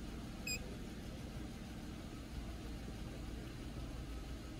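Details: Car idling on scan-tool EGR test with the step EGR opened only about five percent, no effect yet: low, steady idle rumble with an even beat, no stumble or surging; normal idle.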